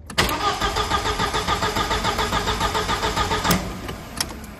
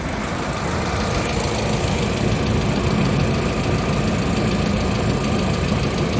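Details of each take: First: 1999 VW Passat 1.8T petrol estate: starter cranks with steady even beats, about three or four a second, but never catches; scanner flags the main relay, fuse reading only 1.5 V instead of 12 V. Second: 1999 VW Passat 1.8T petrol estate after re-soldering the main relay: steady, even idle holding without stumbling, low rumble, nothing irregular; no-start fixed.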